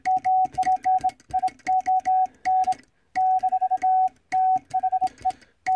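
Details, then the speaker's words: Vibroplex bug Morse key after adjustment on a stable mat, arm set to contact point; crisp, even dots and dashes on a steady tone with clean spacing and no stutter, key sending smoothly and sounding fine. "Voilà, this Vibroplex sound fine."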